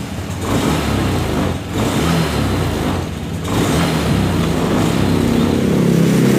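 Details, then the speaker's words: Honda Scoopy FI (around 2022, KOJ engine) scooter on throttle: revs rise but the drone sags and catches a couple of times, stumbling at initial-to-mid throttle with no power, before injector, throttle body, filter cleaning and ECU reset. "jadi seperti itu ketika ditarik Gik itu malah nyendat"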